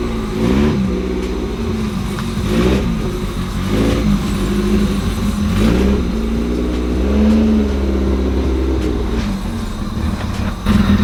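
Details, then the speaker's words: B20-swapped EK Honda Civic: idle speed keeps rising and dipping every second or two instead of settling; owner suspects air in the cooling system and plans to fill the coolant. "We're still having some idle issues, and that is the problem we are facing right now, but I think I do know how to fix it."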